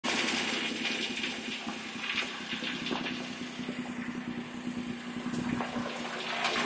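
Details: 2007 Pontiac Torrent 3.4L V6 after a cold start, light uneven ticking and tapping over a steady hum for about 20 seconds, then gone; persists after the dealer replaced the valve lifters, crossover pipe and studs.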